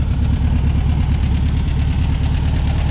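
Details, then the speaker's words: 1963 VW Beetle air-cooled flat-four after Solex 28 PICT carburetor clean, air cleaner on, after drive around the block: even, steady low putter at idle, no stumbles or knocks; normal idle. "took it around the block for a couple of spins it's really purring nice after our carb clean from the last video"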